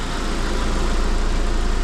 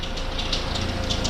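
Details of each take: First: Car idling after compressed air was blown through the alternator: steady, even low idle with no chirp or squeal. Quiet belt at idle. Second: Vauxhall/Saab fleet car at idle: harsh metallic chirping bursts from the auxiliary drive belt, going quiet at once when sprayed; belt grooves later cleaned of dirt and oil, only spare belts wrong size.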